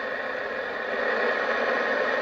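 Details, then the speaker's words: Midland 4001 40th Anniversary CB radio (2006, new old stock), no antenna connected, volume halfway: loud constant hiss across the band; receiver's own noise floor far too high. "This has a hellacious noise floor. There's no antenna on this rig at all."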